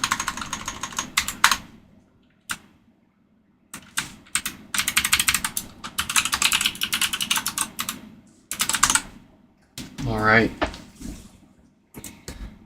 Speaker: So, I do hear a fair bit of popping there. Let's get this Sounds like we're going to need some new DC filters for this guy.